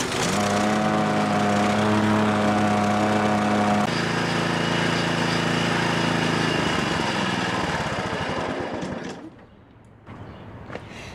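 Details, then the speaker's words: John Deere JX75 push mower, 6 hp single-cylinder, in for a no-start; after 5 to 8 pulls it fires and runs steady and even at a high, fast beat, then dies away. Still questioned whether the choke fully closes. Normal running. "guys so it did take a long time for this thing to fire up what is that 5 to 8 pulls something like that"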